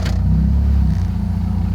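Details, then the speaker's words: 2000 Mitsubishi Galant 2.4 L with aftermarket exhaust, after a cracked intake manifold was taped: warming up, it holds a steady, smooth idle near 1,000 rpm, even under load in gear. Before the fix, rpm jumped erratically. "staying at about 1,000 RPM where it should it's a little high but uh the tape did fix the problem"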